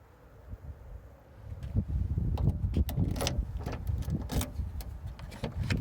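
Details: 1998 Jeep Cherokee XJ on a very cold winter day with a very weak battery: turning the key gives scattered sharp starter clicks, sometimes for a few seconds, sometimes a single click, with no cranking or firing.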